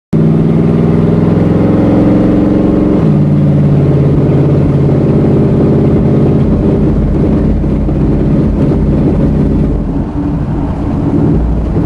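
Engine running with an uneven, lumpy beat and a pitch drop partway through, the firing stumbling irregularly; sounds like a misfire.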